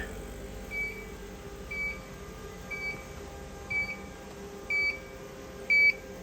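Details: Mimaki JFX200ex flatbed printer during an air pressure adjustment: a single high beep about once a second, warning that ink negative pressure is out of range; fine throttle-valve adjustment stops it.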